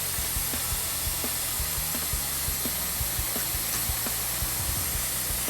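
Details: 1992 Mitsubishi Galant VR-4 boost leak test for idle surge, soapy water at the throttle body: steady high hiss with soft crackling bubbles; air leaking past a screw at the throttle body.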